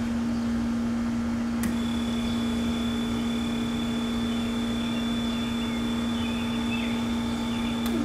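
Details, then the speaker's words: Trolling motor after tune-up balancing, turned up in speed: clean steady electric hum at constant pitch, no grinding or rattle; running smoothly at the most-power setting. "you guys hear that how you can hear the power coming out of it"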